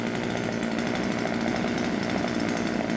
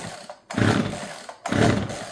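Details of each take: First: Husqvarna 136 chainsaw after the hardened, broken fuel hose, fuel filter and air filter were replaced and the carburettor adjusted: steady high-pitched full-throttle scream, even and clean with no hunting or sputter, then drops off; running healthy. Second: Husqvarna 136 chainsaw that will not start, pulled three times at full choke with fuel believed present: rasping pull-cord strokes with no firing or catch; cause later found to be a clogged fuel hose and fuel filter.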